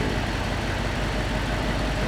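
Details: Gen 1 Audi R8 started after diagnostic codes were cleared: an uneven, stumbling low idle thrum with irregular dips in the beat. The engine is misfiring.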